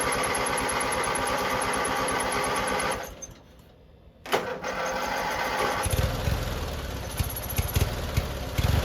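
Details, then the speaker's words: Free abandoned lawn mower, old gas removed and tank cleaned, started on choke: catches after a brief stumble, then settles into a steady, even chug at idle with no knocking. Normal idle. "all right so we got it to fire up and run and idle and do all the things we needed to do"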